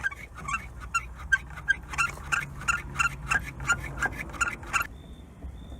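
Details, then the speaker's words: 2019 Lada Granta FL (VAZ), about 2000 km, squeaking since new: rapid rubbery squeaks, about three a second, as the door moves, because the door seal has slipped out of its place in the middle and rubs; fixed by adding an extra seal tied with copper wire. "так вот мы видим уже вот это вот резинка должна быть вот здесь вот посередине она ушла вот этот звук"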